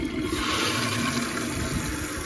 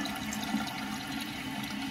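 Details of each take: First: Toilet after fitting a Korky complete repair kit to fix constant running from a leaking flapper: strong even rush of water that holds steady, then tapers and cuts off cleanly; normal full flush and refill. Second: Toilet tank: water rushing and trickling steadily without shutting off; flapper lands off-centre and fails to seat after flush, handle partly interfering; fix is replacing the flapper.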